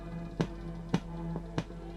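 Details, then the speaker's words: Late-1960s Pye 9123 reel-to-reel tape recorder, no sound from speaker but audio from outputs: music plays with thumping beats but muddy, choked and missing top end; distorted playback, cause unknown. "hear you can hear very distorted music actually I've got it on Parallel let's put it on to there now it's gone completely"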